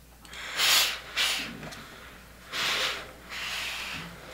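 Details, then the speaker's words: New Shark Professional GI505 steam iron on its first days of use: loud airy hiss in separate bursts of about a second, with no sputter or gurgle; good steam output, normal steam hiss. "You can definitely hear when it's steaming, but it's got good steam."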